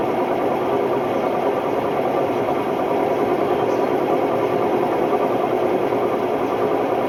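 Loud, constant roar with a gritty rattle right through the fast spin, the harsh rumble of worn drum bearings.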